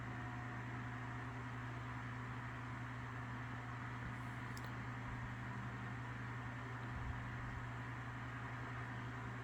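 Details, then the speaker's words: Lasko 3150A 12-inch three-speed oscillating table fan, circa 1980-81, used but well cared for, running on medium. Steady, even motor hum with a soft airy rush and no ticking or rubbing: normal fan running. "that you would expect from these Lasco oscillators from this time period very quiet low throwing out a pretty good Breeze go to"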